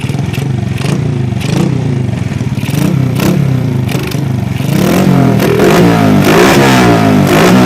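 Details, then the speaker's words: Honda Supra Fit C70 motorbike with carburetor changed from PE28 to PE24, being tuned: revs climb in uneven surges with clattery stumble at mid to high rpm; still a mixture mismatch ("ngok") when opened up. "There is still a discrepancy in the medium to high rotation, Bro, OK."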